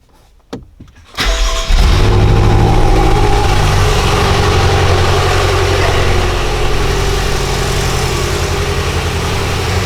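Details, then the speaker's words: BMW M6 (F06/F12/F13) with S63 twin-turbo V8, flashing check-engine light and random multiple-cylinder misfires. It cranks, catches and then idles lumpy and shaking while the coil control signals for cylinders 6 and 7 are checked. "Okay, and as you can see, we have control on one of the wires, but on the other we don't have none. And yes, the engine is shaking for sure."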